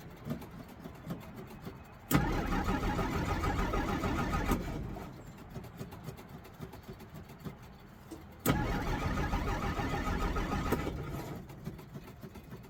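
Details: 1963 Jeep Gladiator, owner pumping the pedal, after the key was accidentally left in the ignition and the battery may be low: two long cranking bursts of a couple of seconds each, engine churning but never catching; hard starting, won't start, cause unconfirmed.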